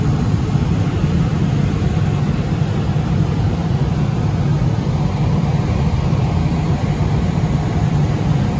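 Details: Johnson Controls/Unitary Products residential gas furnace after a no-heat call (flame lit ~3 s then dropped out, seven-flash ignition retry lockout), now serviced: deep steady roar of burner and blower with no surging or cutting out; holding flame, normal operation.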